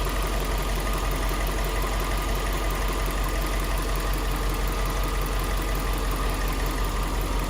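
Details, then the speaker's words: Subaru Liberty B4 twin-turbo at idle: steady idle with loose uneven rattle about three beats a second, loudest on one side of the engine near the turbo; owner suspects turbo area or timing, not pinned down. "From here, it definitely sounds like it's on this side. on this side of the engine, I'm sure."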